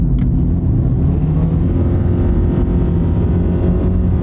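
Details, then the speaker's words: 2009 Nissan Altima with about 296,000 miles, CVT, road test accelerating hard from 40 mph: loud droning rumble climbing with road speed, still pulls strongly; transmission noisy under load, cause undetermined. "makes a lot of noise but it accelerates truthfully this thing accelerates better than the 2022 Honda Civic that I just Road tested this morning"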